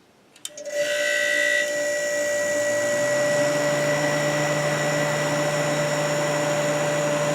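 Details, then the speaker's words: Kenmore dehumidifier after cleaning and fan-motor oiling, compressor reconnected, running in a cold basement: a click, then a steady mid-pitched hum with an even fan rush; the fan sounds great. Normal running. "that fan sounds great though"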